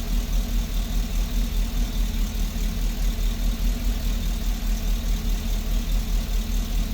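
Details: GMC engine with cylinder 6 misfire and P0420 code (spark plug, ignition wire and catalytic converter replaced): idle pulses unevenly with a rhythmic stumble a bit over twice a second in the low rumble; cause suspected, not confirmed.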